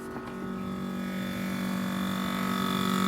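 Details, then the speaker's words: Whirlpool refrigerator under three years old: a steady buzzing hum with a fan tone growing slowly louder inside the freezer cabinet, traced to the fan inside rather than the motor under the fridge; likely the freezer fan rubbing on ice. "what it is i have this little noise I don't know if you can hear it on any camera"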